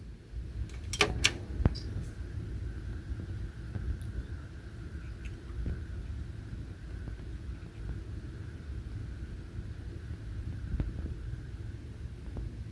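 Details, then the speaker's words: HP Z240 workstation at power-on: after a couple of clicks, a loud steady jet-like roar with no throttling back; the fans are stuck wide open from a suspected firmware glitch, not overheating; unplugging power for 15 seconds fixes it. "just starting up we are preparing for takeoff boys and girls so you can hear how the fan is running wide open on this sounds like we're getting ready to take off"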